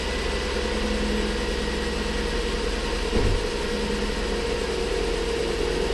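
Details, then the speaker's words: Ford Flex 3.5 first start after water pump and timing component replacement (for oil leak, coolant loss, P0016), fresh oil and filter; oil pressure came right up; smooth even idle with steady low hum and one brief bump; normal idle. "Oil pressure came right up. Pretty good so far."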